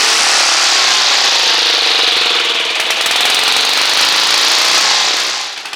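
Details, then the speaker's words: Old Mustang ride-on mower with a Briggs and Stratton engine, not run in over 20 years, carb removed and soaking: it roars raspy and uneven and dies after about five seconds. It runs only on sprayed starting fluid and needs a carburetor. "Oh. It's running. Just needs a carburetor."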